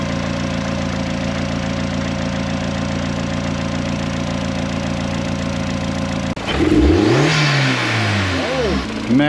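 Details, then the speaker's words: Turbo engine freshly reinstalled with new injector cups, hybrid oil pan and oil return adapter, bigger intercooler: even settled idle then clean blips rising and falling smoothly, no knocks or stumbles; sounds really good, healthy. "oh man, that sounds really good."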